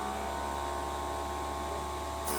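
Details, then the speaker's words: Mimaki UJF6042 MKII printer wiper suction nozzle after dropping PR200 maintenance liquid: steady mid-pitched motor whine that shifts pitch when the nozzle is blocked by finger; suction pump working properly. "won't hear the motor change pitches like that, and you won't feel the suction like I am right now."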